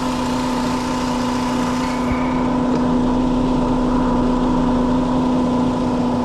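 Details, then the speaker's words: 2006 Chrysler PT Cruiser, 2.4 engine: steady whirring hum with a constant tone heard through a stethoscope right at the alternator; noisy alternator, matching intermittent check engine light for low charging system. Power steering pump only slightly noisy. "So there you have it, guys. There's our noise, a nasty alternator."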